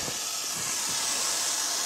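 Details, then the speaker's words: Maple sap vacuum system, 11,000 taps, dry pipes in January: constant high airy hiss through an untapped, wide-open dropline on a large tree, the only major leak, pulling vacuum down about 4.5 inches. "right here is emptying the system this is one tap off i'm pretty sure it's the only one on the whole system here doing a quick valve check it's the only major leak on this whole entire system this is emptying it down about four and a half inches right now"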